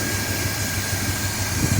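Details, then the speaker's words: 1972 Corvette, base 350 four-barrel V8 with reportedly 47,000 original miles, after fitting a remanufactured Quadrajet carburetor and opening up the lean idle mixture: steady, even low idle rumble with no stumble or hunting, no more smoke, settled and healthy. "team to take care of that no more smoke at all foreign condition and it seems to be happy now"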